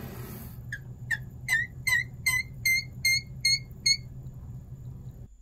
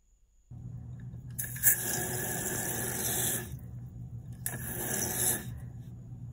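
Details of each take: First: Fluidmaster 400-series fill valve in a Kohler toilet squeaks at every shut-off, nine sharp high chirps over rushing water; it also squeaks when house faucets run, and cleaning the seal and Teflon lubricant didn't fix it; replaced with a Fluidmaster 385. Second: Kohler toilet after replacing a squeaky, slightly leaking Fluidmaster 400-series fill valve with a new Fluidmaster 385: tank refills with a steady rush of water and soft hiss, no squeal or squeak, no leak.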